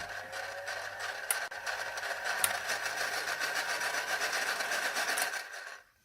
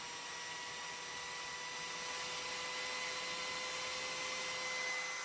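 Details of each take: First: Old Philips hand mixer before maintenance: steady motor hum with dry raspy chatter about four per second; gears grinding from lack of lubrication, fix is greasing with vaseline. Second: Philips hand mixer after regreasing with Vaseline for lack of lubrication: smooth, even high-pitched motor hum with steady whine and no rattle or scraping; normal run.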